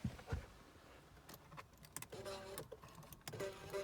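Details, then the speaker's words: 1991 Mercedes R129 passenger power seat: two short half-second bursts of the track motor whirring freely with no load while the seat doesn't slide; early R129 white nylon gears are known to break, suspected here. "i can hear the motors okay so uh at least there's uh one set of gears that i don't need"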